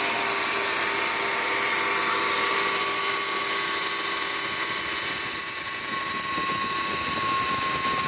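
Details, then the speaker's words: 2017 Subaru Forester, ~20k miles, AC not cooling: loud steady whirring hiss with thin whine from the AC compressor, growing louder after start; dealer found bad condenser under service program. "you see the noise is getting louder and louder this from the compressor for sure so out here the noise is pretty loud"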